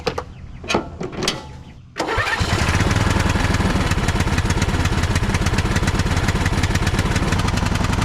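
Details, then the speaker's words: Craftsman riding mower, bought cheap and jump-started with a booster pack, oil checked: cranks, catches and runs a rough lumpy beat but won't rev, no throttle response. The owner suspects a plugged muffler, and a rats/ants nest was found. "I wonder if the muffler's plugged. It's having a hard time revving up. I bet you the muffler's plugged."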